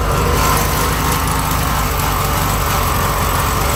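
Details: 1971 VW Bus Deluxe, rebuilt carb, choke on top notch: uneven, lumpy idle wavering as if about to stall, then dies; running a bit rich, carb seemingly not dialed in, generator noisy; owner suspects carb.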